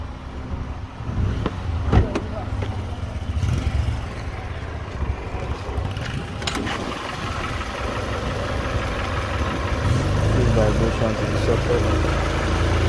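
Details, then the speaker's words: Toyota Corolla 2005, 1ZZ petrol engine, after replacing the stuck timing chain tensioner and the left and right chain guides: steady low idle hum with no chain rattle; normal idle. "So vehicle is working, no sound."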